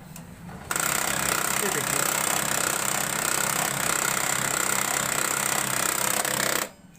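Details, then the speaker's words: HP LaserJet 1005 printer gives a harsh steady whirring grind for about six seconds while the drive runs. One gear runs but the rear gear won't turn; something is suspected stuck inside. "तो दोस्तों इसके problem यह सकता है कि अंदर में कुछ न कुछ फंसा हुआ है जिसकी वजह से यह प्रॉब्लम है"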